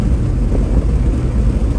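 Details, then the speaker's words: 1972 GMC shop truck after an LS swap (it earlier made an awful noise), driving around 76 mph on a 103°F high-desert day: a steady, even low rumble with no knocks or ticks. Pulls smoothly; normal running. "That runs good. It's quiet. Yeah, no, it runs."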